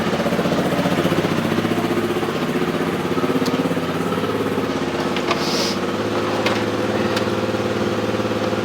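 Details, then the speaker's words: 2003 Honda XR400 brought in not running, after valve clearance and cam timing checks, started after 365 kicks with idle turned down and oil on the exhaust: steady single-cylinder thump, even beat, no ticking or clatter; runs well, normal idle. "I tell you now, that runs pretty damn good. All right. See, it's running."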